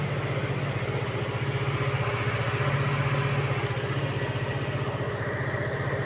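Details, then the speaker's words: 1988 Opel Kadett 1300cc with radiator fan wired to run whenever the engine runs, due to occasional overheating: steady even idle with smooth low pulse about four beats a second, no knocks or misses; normal idle. "Hai suaranya halus sistem estraven nya saya modifikasi mesinnya hidup dipasang hidup"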